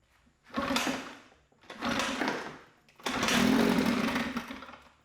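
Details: Mercury 9.8 hp 110 outboard after fixing a tucked-in pull-starter tooth that was jamming on the flywheel: it catches and revs in three short surges with a crisp, even buzz and no misfire. Running normally; it later stalls, owner thinks from low fuel.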